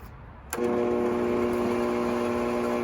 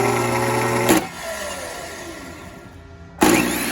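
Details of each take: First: 20-year-old, lightly used Bosch 4000 10-inch table saw: the motor starts with a clunk and runs backwards slowly with a low hum, well below speed. Some sources blame the motor field, but replacing the speed control board fixed it. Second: 20-year-old Bosch 4000 10-inch table saw motor wired directly to the switch line, bypassing the speed control board: snaps up to a high whine each power-up, then coasts down smoothly; motor is fine, control board seems to be the issue.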